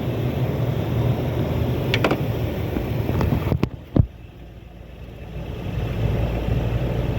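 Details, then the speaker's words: 2007 Ford F250 cargo van after alternator replacement (Ultima R111741A): steady low idle rumble with handling clicks, no squeal or whine; alternator charging. "see if alterator keeps running Moment of Truth here we go stayed running is obviously the alternator job well done"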